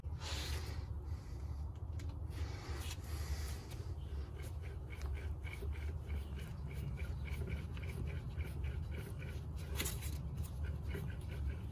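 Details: Front passenger wheel bearing of a 2010 Mazda3, grinding on left turns; hub turned by hand unloaded with caliper, rotor and driveshaft removed: faint gritty scraping and light clicks, rough press-in bearing.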